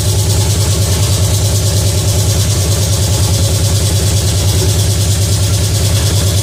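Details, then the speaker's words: Pontiac 350 V8 in a 1950 Pontiac gasser with 6-speed, first run, timing near 8 degrees, steam from moisture: fast, steady, even high idle; held high by unconnected electric choke, oil pressure not reaching 50 psi. "So, under RPM, under RPM, it should have 160. That was on a high idle."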